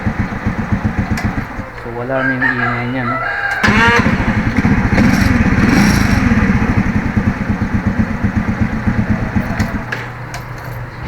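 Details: Engine runs with a steady, even low throb and no grinding or stony starter rattle after Bendix drive replacement; a rooster crows nearby.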